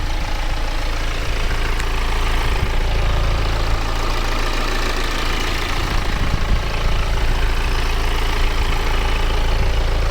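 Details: BMW E84 after timing chain, clutch and flywheel replacement, now on 5W-30 fully synthetic LL04 oil: loud, steady idle with an even low drone and no chain rattle or slapping.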